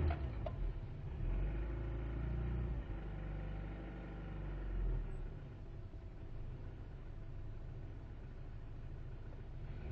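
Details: 1998 Jetta: low, lumpy idle wavering and sagging with misfire; cuts out at 5100 rpm and, when cold, stalls without throttle after load.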